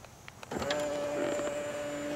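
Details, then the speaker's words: Tesla Model X middle-row power seat moving with its pedestal; a clean, steady electric motor hum with no spring-loaded bang at the end of travel, normal operation compared with the loud-noise fault. "be like this supposed to move along with the pedestal see that it's moving along with the pedestal so it doesn't have that um spring loaded action at the end of uh the movement like you do on the um the driver's side"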